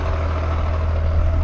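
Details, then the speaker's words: BMW M3 with lightweight flywheel and aftermarket clutch idling in neutral: steady deep drone with faint rattly chatter underneath; owner attributes it to flywheel/clutch chatter rather than a throwout bearing. "since I have a lightweight flywheel and aftermarket clutch I know those chatter in love"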